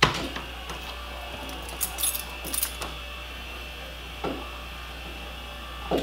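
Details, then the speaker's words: Repaired power antenna on a 1987 Pontiac Trans Am GTA: with key on, light motor whir for several seconds with soft clicks and knocks as the mast moves smoothly; working normally. "By turning on the key, that antenna should go to its full extension. Well, look at that. Works awesome."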